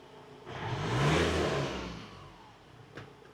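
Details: Ford Transit diesel after work to return the van toward standard, not mapped out: one clean rev swelling and falling smoothly, no knocks or rattles; runs much smoother than on arrival.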